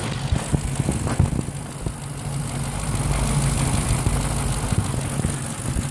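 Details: Ford 4.6 V8 with a Victor Jr intake and rails and a new IAC valve, still idling high: fast, light sewing-machine ticking over the raised idle, sharpest at first. Cause not pinned down.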